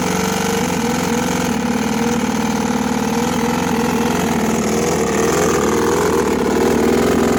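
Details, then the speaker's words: Brand-new two-stroke dirt bike ridden hard in third gear down a long road; the carb was cleaned and the plug looks fine. It runs steady but rough, with an uneven rattling knock under the exhaust note. Cracked crankshaft. "I cleaned the carb I checked a spark plug everything looks fine and it still is making that weird not to stroke type noise you'll see"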